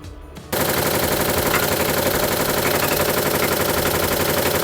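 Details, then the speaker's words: Samsung top-load washer in spin cycle: loud, rapid banging about four times a second as spin speed rises; broken tub hub (its screws also gone) lets the drum strike the tub; fix is replacing the tub hub. "This is now sure it is tub already uh tub hub already gone otherwise sharp. We are calling for the top hub. Actually tub have gone because of that only making abnormal noise"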